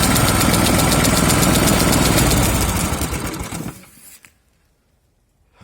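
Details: Huter SGC 6000 at 72 engine hours: sharp regular knock about four times a second over the running engine until shutdown, an internal mechanical knock; engine knock.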